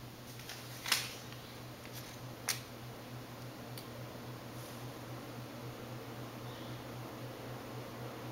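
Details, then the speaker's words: Restored early-to-mid 1980s Four Seasons Venair Seville 36-inch spinner ceiling fan on a new 3-speed control, converted to ball-socket mounting: steady low motor hum, worse on high, amplified by the mounting; no wobble. "uh it makes a sound like the cheek mouting amplifies the the sound of the motor it makes like a hum hum hum sound like this it's really annoying on higher speeds but on low speed it's okay"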